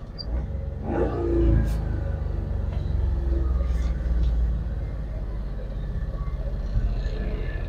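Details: Carburettor car after cold morning start: low, steady rumble easing down as the engine warms, idle settling lower toward about 1000 rpm with no roughness; normal warm-up behaviour, no need to worry.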